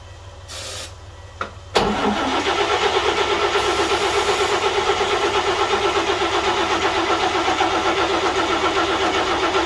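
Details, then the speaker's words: 1941 GMC one-ton pickup, 230ci straight six, first start in 20 years with two-cycle gas added: steady cranking about four beats a second with weak coughs that never catch; owner suspects it may be flooded. "only got close once and that was it let's try again again"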